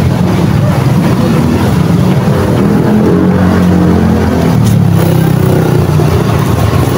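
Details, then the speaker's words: Barako 175 single-cylinder motorcycle running without a battery, its CDI needs constant 12 V; idle rises and falls with a breathing rhythm instead of a steady beat; surging idle, steadies once a battery is fitted. "kung maririnig natin mga Fr yung ganyang andar ay parang humihinga"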